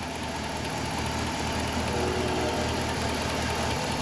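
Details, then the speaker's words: Hemi Dodge Ram with 175,000 miles, revived after being parked for 2 years, at warm idle. An even V8 idle with only a faint light tick in the background; runs smooth. "175 000 miles sit here idle nice little teeny ticks otherwise burn like a kitten"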